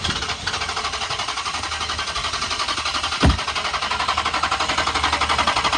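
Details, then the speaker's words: 2012 Dodge Charger police car, 5.7 L V8 with a bad motor (knocking noise per shop notes), sat over six months, cranked on a jump box: steady, even cranking for six seconds with no firing; cranks but won't start. "i'm going to hit the key so you can hear what it does the motor does turn over but it does not start"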